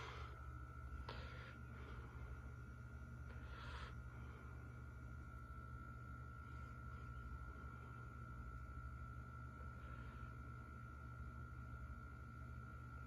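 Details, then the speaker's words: 1987 52-inch Hunter Original ceiling fan, fully rebuilt with the flywheel raised and the switch housing and bearings cleaned: soft, steady low hum with a faint constant tone and no rubbing, ticking or wobble. Normal low-speed running. "take it down to low"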